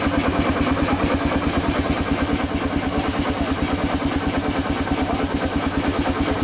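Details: 1895 Bates Corliss steam engine, 14" bore x 36" stroke, 10 ft 9000 lb flywheel: even chuffing about 140 beats a minute, no knock; only steam leaks remain, possibly a broken steam chest pipe.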